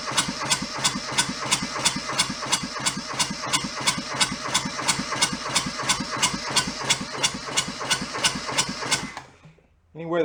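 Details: Junked small Kubota diesel from a scrapyard, throttle wide open: steady cranking near three strokes a second with sharp clatter on each compression, never catching. Cranks, no start; air sucked into the fuel hose suspected, not confirmed.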